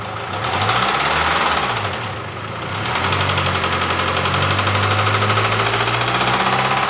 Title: Developed knocking noise while accelerating